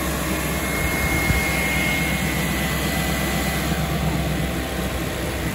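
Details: BMW 740i E38 facelift 4.4 V8 petrol at cold-start fast idle: a thin steady high whine that cuts out after a few seconds is the secondary air pump (emission control air pump 11721707585) feeding air into the intake; normal.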